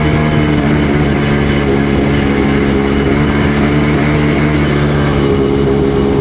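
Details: Sea-Doo GTX DI 951 two-stroke rebuilt with new parts, test in forward under load on fuel of unknown age: loud ragged drone skipping right at 4200 rpm as RAVE valves open, still reaching full rpm; owner suspects a weird expanding hose.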